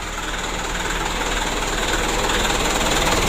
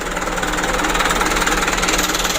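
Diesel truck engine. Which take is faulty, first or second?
second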